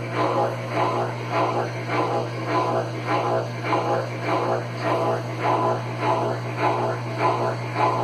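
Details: Consul Facilite CWC10 washer that would not power on, fixed by replacing the power board: steady low motor hum under an even swishing pulse, under two per second, with no banging or grinding. The washer spins normally.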